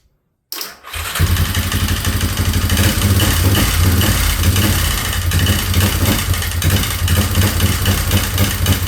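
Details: 2003 Yamaha Wolverine quad: catches into an uneven, lumpy idle with irregular pulses; owner suspects cam timing and rechecks. Rough running.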